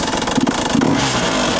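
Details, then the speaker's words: 150 motorcycle engine, bought with 10 operating hours and now about 40 hours (~400 km): revving with a loose, fast metallic rattle that harshens with revs. Everything was retightened, but the source couldn't be identified; it turned out to be a broken piston. "also selbst das hört sich an scheiße an man kann ja auch nicht identifizieren von wo das kommt"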